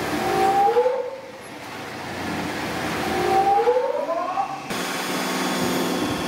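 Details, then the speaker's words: Larger hydraulic gear motor run clockwise as a pump on a test bench, pressure raised: loud steady gear-pump whine whose pitch climbs and dips twice; flow barely drops, no weird noise the customer reported, judged normal. "fly sound like the these larger ones always are a little louder anyway but it didn't make like that weird noise yeah it's most likely something on their end"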